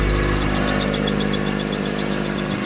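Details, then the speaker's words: Rear-wheel-drive drift car jacked up by the diff in first gear with wheels rolling: fast, steady high-pitched chirping squeal only when in motion, not at idle; suspected dry bearing in the driveshaft, diff initially suspected, not confirmed. "I want to say it's the drive shaft, some bearing or something in the drive shaft, I want to say, that's making the sound."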